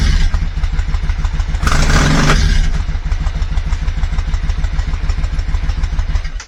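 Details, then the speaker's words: Yamaha Virago 535 started cold during a full service with new oil and filter, air filter and spark plugs, before the fuel filter change. It starts a little easier but the low thump stumbles irregularly, then dies: a misfire. "it seemed to start a little easier, but there was something of a misfire there."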